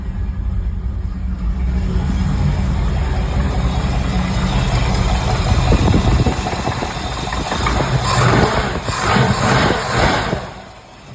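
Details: Chevy Camaro Z28 being LS-swapped: V8 idles with a deep rumble and a repeating knock about four times a second.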